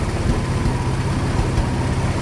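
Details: 1995 Ford F150 4.9L EFI inline-six with open exhaust, no catalytic converters: loud idle with uneven, stumbling exhaust thumps skipping at random; random misfire, cause still unknown.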